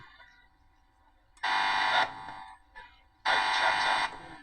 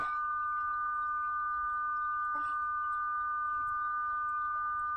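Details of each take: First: Howard Model 45 radio powered on: two loud buzz bursts about a second each when the loose tone control knob is touched; source unknown, owner suspects household interference. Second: Howard Model 45 radio during IF alignment, adjusting the pots: clean, steady pure tone sitting strong and unwavering over a faint background; test signal peaked, alignment right.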